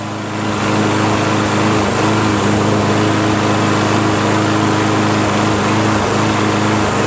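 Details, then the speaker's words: Toro Recycler 22" Personal Pace 20068 mower, Briggs auto-choke engine, replacement carburetor and new air filter, governor spring just adjusted as rpm was low, now seems a little high: steady even high governed drone, no misses or surging; healthy, speed slightly high. "I just adjusted the uh spring RPMs were kind of low so I just uh seems a little high now"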